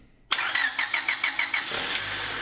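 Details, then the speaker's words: 2000 Honda HR-V 1.6 VTEC (D16W) after replacing a screeching power steering belt with a new Gates 4PK845: starter spins, engine catches and runs evenly with no belt squeal; normal start and idle. "that sounds a lot better. That should make driving more pleasurable."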